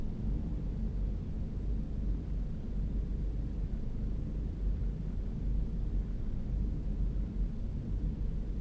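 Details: 2011 Ford EcoBoost just after startup: low, lumpy, unsteady idle with slight surging, not caused by the throttle pedal; rough idle.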